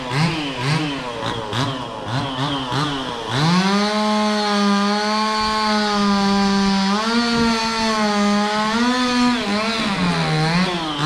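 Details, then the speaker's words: Stihl 026 two-stroke chainsaw: choppy blips, then revs up a touch slowly before a steady high whine; slight bog on throttle-up and slow idle-down; owner questions the tune, cause unknown. "kind of idles down slow, and it also throttles up just a little bit sluggish right in the beginning."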